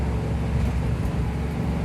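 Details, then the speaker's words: 1972 International 1210 after intake reinstalled to fix vacuum leak through intake gasket, carb with correct 500 CFM jets (#74): in second gear uphill at quarter throttle then whipped and shifted, steady deep pull with no hesitation; normal acceleration. "I'll whip it and shift, see what happens. Did not hesitate for sure."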